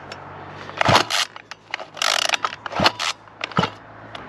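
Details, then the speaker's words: XLT petrol RC car, engine not running: sharp scraping clicks in bursts on each pull of the recoil starter, which catches and slips. The clicking began that day and the owner thinks the starter spring is faulty. "here's a work of art very close and you'll hear the clicking look at that there we go definitely a problem with the spring it seems"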